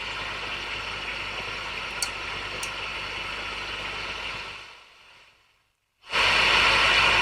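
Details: Customer's valve amp, controls turned up and dimed, listening for pops and crackles at idle: plain, even hiss that drops away, then returns louder, with no pops or crackles. Normal hiss, exaggerated by the settings.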